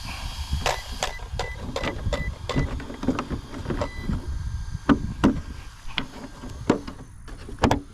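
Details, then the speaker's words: Traxxas Maxx Slash RC truck with Hobbywing Max 6 combo on belted Sledgehammer 2.8 tires: small fan whir cutting in and out in irregular bursts; cooling fans pulsing, not getting full power, cause unclear. "I can hear the fans pulsing. They're not getting full power."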